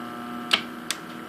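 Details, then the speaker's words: Atari PAT 9000 arcade bench test fixture: three sharp, dry clicks about 0.4 s apart over faint mains hum as the three-pole relays that switch power to the games are turned off; normal relay operation. "the three relays which you probably can't see but they're back there so there's three three Poole relays in the back and those are actually what's switching the games if I hit them off you can hear them clicking"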